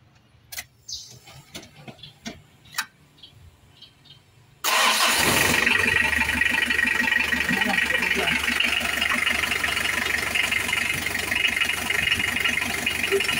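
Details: Engine right after a timing belt and tensioner bearing replacement, crank turned by hand to check for contact and battery reconnected: a few quiet clicks, then it catches at once and settles into a smooth, steady idle without ticking or knocking.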